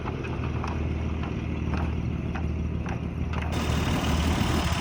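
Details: 1951 Dodge old six-cylinder: low, steady loping idle with a soft, even pulse about three times a second; oil burning off the headers or valve covers, generator not working; normal idle.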